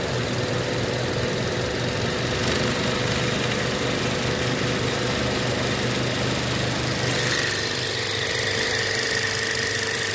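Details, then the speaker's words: Used inverter-drive heat pump compressor, condemned for excessive vibration, run on a VFD in a homemade heat pump water heater: loud constant buzzing drone with rough uneven rattle; pulls high amps and cuts out, owner suspects it is bad. "but things like the vibrations on this thing was crazy so it might have been bad after all"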